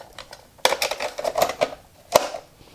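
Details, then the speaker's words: Late-1970s Ford quad 8-track/AM/FM car stereo after silicone grease lubrication and detent adjustment: a sharp snap as the cartridge seats, a few lighter clicks, then another clean pop; latch grabs firmly and works normally, repaired. "you hear it really pop in and it's smooth"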